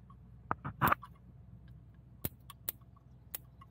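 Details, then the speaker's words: Barn-find Farmall M tractor, key on, coil wire in place while ignition contact points are flicked open by hand: sharp irregular snaps over quiet background; coil sparking, ignition spark present. "you can just flip those points and it'll spark if it's working and you can check your spark like that"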